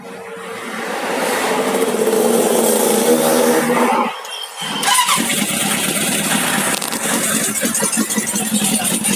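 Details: Carbureted big motorcycle with a carburetor visibly leaking fuel catches and runs ragged, lumpy and stumbling with a stall-like dip; owner suspects compression differs between cylinders, not confirmed.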